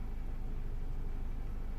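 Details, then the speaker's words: 2006 Citroen C3 petrol with replaced used radio: after the new VIN is programmed and configured, the constant security beep stops, leaving only a steady low vehicle rumble. "and look at that, it's gone. Beep is gone."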